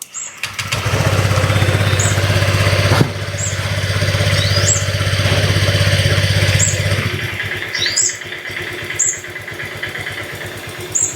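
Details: Honda Vario 125 first-generation scooter just fitted with a CPO Racing double iridium spark plug: it catches within a second and settles into a steady, even low putter with no misfire; normal start and idle.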